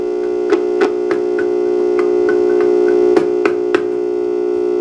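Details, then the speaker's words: Tube on a preamp tube analyzer with audio monitoring: steady buzzing hum with a low drone and occasional sharp clicks, caused by heater-to-cathode leakage. The tube is unfit for amplifier use. "This one though on the other hand has some heater leakage. Let's see what that sounds and looks like."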